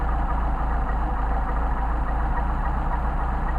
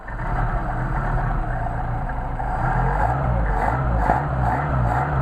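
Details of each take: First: Mercedes 190SL carburetors (numbers 15287 and 15257) after rebuild, idle mixture screws set to the sweet spot on a warmed-up engine: steady, even idle with a smooth low pulse and no stumble or miss; carbs balanced and running clean. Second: Mercedes 190SL carburetors on test after rebuild: idle that was perfect before cooling off runs rough and lumpy then dies, won't hold idle after blips; likely a piece of dirt in the idle jet, to be checked.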